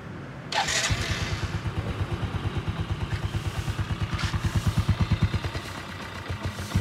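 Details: Yamaha Sirius 110 Fi at about 26,000 km (title says 260,000) after a full engine rebuild with new clutch, thicker-than-stock two clutch plates and 6305 bearing; starts at once into an even, steady thump about nine per second, no knock or rattle: healthy idle.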